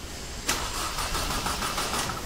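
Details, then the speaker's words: Mercedes C200 Kompressor that broke down on the road: starter spins the engine steadily but it never catches; crank no start, scan showed crankshaft position sensor error, fixed by replacing the sensor. "इसका problem क्या है friend की अब जब हम start करते हैं तो सेल्फ लेट है लेकिन गाड़ी स्टार्ट नहीं होता है"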